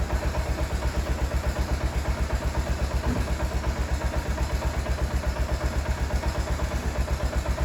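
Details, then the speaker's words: Idle of a 2003 or 2004 bike with a light rattle about four times a second riding on the beat, from the dogs on the clutch basket; just a bit of wear. "You hear that little rattle in it? It's the dogs on the clutch basket. It's just a bit of wear, you know."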